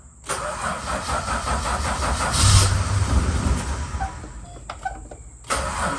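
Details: Valiant VH Charger with no choke, starting after starter work: uneven cranking chuffs into a rough, coughing catch with pops back through the carburettor; owner reckons timing is out, possibly a big vacuum leak.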